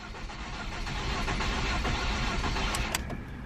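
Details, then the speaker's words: Ford Focus non-runner on jump box after new part: starter churns about four beats a second with a few ragged catches that never pick up; cranks but won't start. "so it tried it almost turned over um it's a lot better than just the flat what we had before where it was just cranking and nothing it almost like sputtered and wanted to but it didn't grab"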